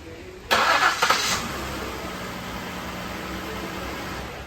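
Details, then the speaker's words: 2016 Ford Explorer 3.5 start just after water pump replacement: short crank, catches cleanly and settles to a smooth, even idle with full oil pressure and no rattle or tapping; normal start and idle. "It's got oil pressure up to the top. Sounds good. There's no rattle."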